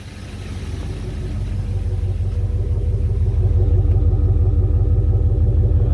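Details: Jeep engine with new connecting rod bearings after reinstall, good oil pressure, slight tappet noise both sides noted: even, steady low idle, about three firings a second, no knocks; owner says it sounds healthy; normal idle.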